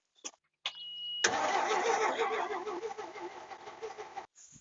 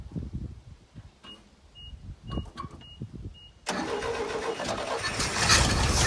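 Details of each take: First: 1964 GMC grain hauler, 401 Magnum V6, 87,000 miles, long unused, with fuel poured in: the starter spins, then a rough three-second burst of firing fades and dies; it catches briefly but won't keep running. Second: 1964 GMC grain hauler truck, sat about 20 years, first start after cleaning and reinstalling the carburetor and a fuel pump check: starter cranks briefly, engine fires and picks up, then holds a fairly steady, even idle without misses; sounds healthy.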